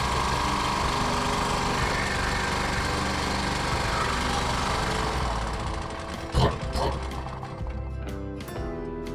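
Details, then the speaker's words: 2.8 kVA Sumec Firman generator that the customer says is noisy and uses a lot of fuel: a loud, harsh, raspy roar with uneven chuffing and no clean muffled note, from a holed exhaust body leaking gas that could cause the high consumption. "yeah so you can see the G is very noisy very noisy very very noisy so the noise of the generator could cause the consumption"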